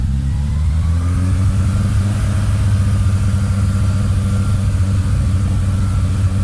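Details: Mitsubishi Lancer EX turbo revved: uneven, lumpy note and stumbling beat under throttle, misfiring; plugs, leads, coil, distributor cap and rotor, MAF replaced, ECU swapped, coolant and intake air temp sensors in spec, cause not found.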